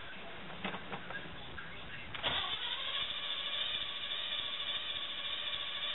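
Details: Jeep Wrangler YJ cold start after sitting about 30 days: two seconds of uneven cranking with a few weak catches, then it fires and settles to a rough cold run; hard starting when cold.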